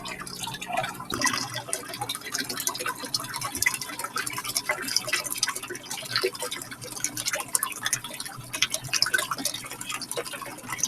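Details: Drummond 63319 utility pump after cleaning clay debris from the impeller, back in service: steady splashing and trickling water, no grinding or rattle; pumping freely and normally.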